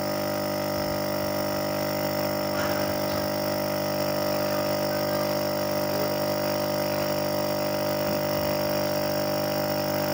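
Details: Refrigerator compressor that had hummed without starting while drawing 5.8 A instead of about 0.8 A, retested with its original PTC relay: a steady, even electrical hum of constant pitch with no stalling; it now starts and runs normally.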